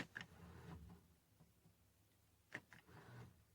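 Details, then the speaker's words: 2011 Jeep Wrangler Rubicon differential locker: a few sharp clicks a couple of seconds apart in a quiet room as the actuator engages and disengages. It works, though the indicator light still flashes; the front diff locker still isn't working. "hear it but the light still flashes i don't know why but it's obviously working you can hear it engage and disengage so that's cool"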